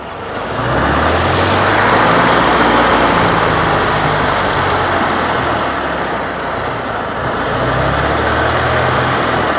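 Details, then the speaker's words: 1932 Austin Heavy 12/4 Windsor, 1681cc side-valve 27bhp engine, cold start: smooth, even low beat at slightly high warm-up idle with no knocks or ticks; normal healthy idle. "there we go we just got our idling just slightly high while she still warming up"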